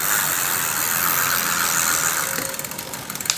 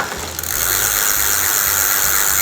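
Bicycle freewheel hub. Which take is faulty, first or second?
second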